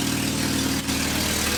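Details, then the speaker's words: Idle on a 1979 Volkswagen Rabbit, front end raised, loud raspy hiss and fast puffing over the engine note; suspected failed gaskets at manifold-to-downpipe and downpipe-to-exhaust joints, replaced in the repair; exhaust leak. "something's gonna start up real quick and then you guys can really hear how bad this exhaust leak is it's unusual"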